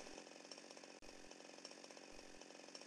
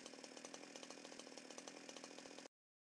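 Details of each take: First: Small two-stroke chainsaw idling steadily after the L (low-speed) carburettor screw, previously set too far out and over-fuelling, was turned clockwise; rapid firing beat even apart from one brief dip, normal idle. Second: Chainsaw (2-stroke) idling lumpy with more exhaust smoke than usual; low-speed L screw set too far out lets too much fuel into the carburettor induction tube, making the mixture too rich to combust. Remedy is screwing the L screw in.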